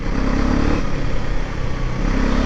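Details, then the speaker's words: New 400cc single-cylinder Husqvarna roadster in 3rd gear at 30 in traffic: a deep, punchy thump, KTM-like with more grunt and bass, pulling cleanly and evenly. A healthy exhaust note. "exhaust note how many if you like it I mean if you like KTM exhaust note it's exactly almost the same it's got a little bit of more Grunt in it and more base in it than KTM I feel"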